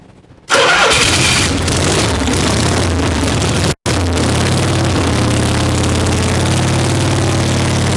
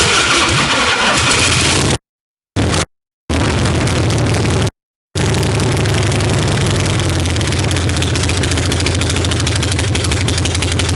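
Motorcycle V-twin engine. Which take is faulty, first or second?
first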